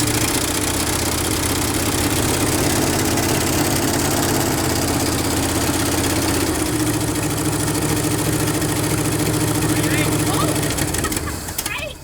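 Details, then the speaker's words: 1968 Chevy C20 with a 307 V8, parked 30+ years, running on a new battery, new plugs and fresh fuel. Carb float needle sticking and pouring fuel; mechanical pump just began working. Low, lumpy, uneven idle. Carburetor needs a rebuild. "Sweet, but it runs. - All right. - We got it running."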